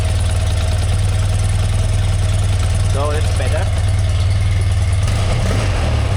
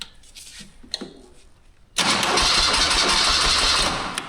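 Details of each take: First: 1981 BMW R100RT air-cooled boxer twin, 29,000 km, last oil change 21 years ago, revived after long storage: steady, deep, even idle with a firm low beat and no misses, stumbles or knocks; normal idle. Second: 1981 BMW R100RT air-cooled boxer, 29,000 km, sitting for years; starter turns the engine over at a steady cranking beat but it never catches, with no fuel reaching the carburetors: crank no start.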